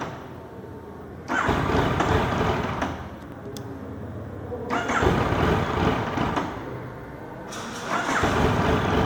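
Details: Yamaha MT-09 hard to start when hot after a 30-minute ride: three long bursts of starter cranking at about four turns a second that never catch; cause not yet known.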